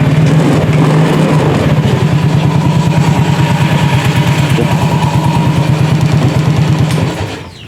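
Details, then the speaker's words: Yamaha Mio J automatic scooter after replacing the starter one-way clutch, run with the CVT cover off: steady, even putter at idle with no rattle or scraping; the engine is back to running smoothly, normal idle. "Oke, udah terdengar halus, bisa dilihat bisa didengar buat teman-teman. Kembali halus."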